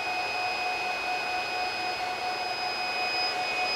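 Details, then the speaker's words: Free Supermicro server with an X7DWN+ dual socket 771 board and two 2.5 GHz 5420 CPUs, running with one redundant power supply broken: a continuous high alarm beep over steady fan rush, unbroken while running. "at least the machine is working but one power supply is broken and it's quite annoying the beeping"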